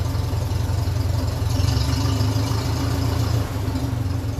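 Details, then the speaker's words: 1957 Ferguson 35 TVO tractor, warmed up and running on kerosene at 650 rpm, trial vertical exhaust with heat shield off: slow, steady low thump with even firing and no knocks; engine idling nicely. "now i' say we're up the temperature sitting there at 650 revs I think that sounds like it's running fairly nice"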